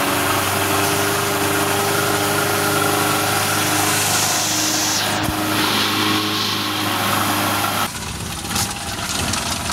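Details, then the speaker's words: Suzuki Carry 1.0 petrol engine at idle gives a very harsh, diesel-like klotok-klotok clatter; the cause is a worn timing cover mount. "Oke lur, mesin suaranya kasar banget untuk Suzuki Carry 10. Ini ketika stasioner jelas banget suaranya lur. Ada suara klotok-klotok ataupun kasar."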